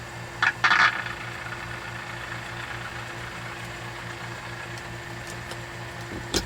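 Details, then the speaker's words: RCA model 2-XF-91 tube radio under repair, fitted with a 50C5 output tube: low steady hum with faint buzz under quiet hiss; owner blames noise from a nearby dehumidifier and a switching power supply, interference. "I gotta unplug my dehumidifier. My damn switching power supply is full of noise."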